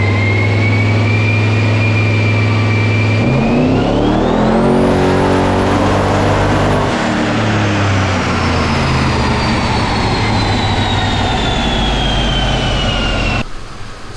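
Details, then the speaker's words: Twin-turbo Pontiac LeMans on a chassis dyno (eBay turbos, BTR stage 2 cam), run aimed at 16 psi boost: pulls hard then goes flat and ragged near the top, misfire under boost at high rpm; they're pretty sure spark is being blown out. "we're having an issue right now with, we're pretty sure we're blowing the spark out."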